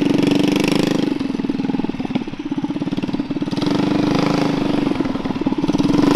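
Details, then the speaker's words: Predator 212 single-cylinder mini chopper with near-open straight pipe, first run: steady thumping that stumbles and sags before picking back up, cutting out at wide open throttle; owner suspects it runs lean, carburetor needs adjusting. "If you wide open throttle it, it does like fuel cut. It runs lean most likely. So, we're going to have to adjust that car."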